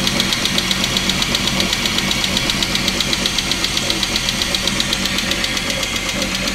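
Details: Chrysler 300M 3.5L engine running with a sharp, regular knock about twice per second over the idle, clear and steady; cause unknown.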